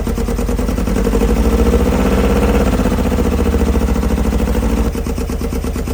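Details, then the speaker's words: 80s kit supercar Nova after 25-30 years sitting, engine freed and running, thermostat removed for testing so coolant circulates: steady even idle with a low throb, no misses or knocks; running well. "Okay. So, after 25 to 30 years, the Nova now runs, which is kind of amazing. And it's now running pretty well."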